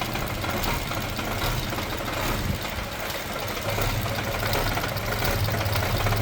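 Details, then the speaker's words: Nissan Almera (Sunny) N17, freshly started, no throttle applied: low, shaky, uneven idle with RPM rising then dropping as if about to stall; rough idle, cause not yet confirmed. "shaky ung makikita niyo shaky yung makina niya hindi normal anan Ayan ang problema ng Nissan almero na to tapos ayan oh halos magdrop na yung RPM niya yan tumaas tapos bagsak yan taas bagsak"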